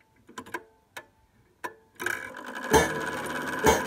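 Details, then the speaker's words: 1800s clock chime: the hammer arm was bent too close to the chime wire, so a few dull, muffled thuds with no ring follow. The fix is backing the arm off so it barely taps and pulls away. "you hear how it's not resonating it's more of a thud so basically it's too close the arm is too close to the wire"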